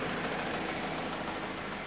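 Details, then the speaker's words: Peugeot 207CC 1.6 warm idle after about 15 minutes, cooling system bled at thermostat housing and warming properly, air con still working: even, steady idle with AC fan hissing, no knocks or hunting; normal warm idle. "this running for like 15 minutes now the cooling system seems to have warmed up perfectly fine the aircon still working"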